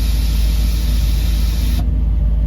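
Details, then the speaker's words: Vintage Winnebago Vectra P30 Jet Air Ride suspension with Harbor Freight air pump, switch in auto mode: steady airy hiss of air filling the bags under a low pump rumble, then hiss stops; normal auto-leveling, RV nearly level. "Yep, you can hear it. It's auto leveling. We're just about level now."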